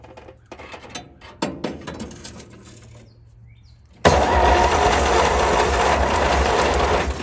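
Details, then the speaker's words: 1938 Dodge truck sitting 50-plus years, first start attempt with new and old spark plugs: steady starter churning about four beats a second, no cylinder catching; no spark because the ignition coil is grounding itself out. "Coil's grounding itself out there. That's my fault. Now let's try. Still grounding itself out."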